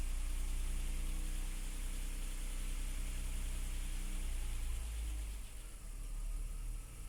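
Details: BMW E53 3.0 after a cold start: loose, uneven rattle under three beats a second riding on the low idle drone; cause unclear.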